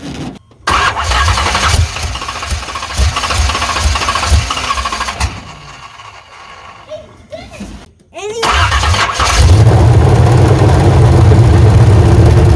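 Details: 1985 Chevy C10, high-compression 383 stroker small-block, TH350, revived after 10+ years, fresh plugs, carburetor bowl refilled: steady rhythmic cranking, a pause, more cranking with only a brief rough catch; turns over but won't fire cleanly.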